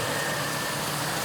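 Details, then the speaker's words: 1999 Ford F-250 XL with a 4.6 liter V8, miles unknown, likely needing a fuel pump, running only a few seconds on fuel poured into the intake: a steady, even V8 idle with a dense airy hiss on top and no knocks or stumbles; the engine sounds good. "It only runs for a few seconds, but the 4.6 sounds good."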